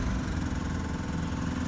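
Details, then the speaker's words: Oldsmobile Cutlass or Buick Electra V8 cold start on a new battery: deep uneven idle with quick ticking from a bad exhaust leak, owner says the ticking is worst cold and eases as metal expands when warm. "or when the engines cold you'll hear that the horrible ticking"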